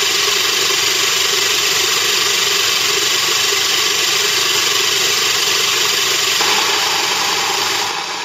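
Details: Moulins d'Alma individual stone mill grinding grain for wholemeal flour: steady even fine gritty grinding rush, no knocks or pitch changes; normal grain milling.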